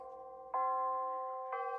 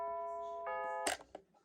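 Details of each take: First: Bulova C3542 battery wall chiming clock just after replacing the chime batteries, old since October 2020: four clear ringing notes about a second apart, each full and even; the chime sounds strong and normal, much different than before. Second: Battery-powered Bulova C3542 wall chiming clock on its old chime batteries, in since October 2020: a few clear bell notes begin the melody, then stop abruptly after about a second with a click, recreating how the chime cut off mid-hour. Cause suspected, not confirmed.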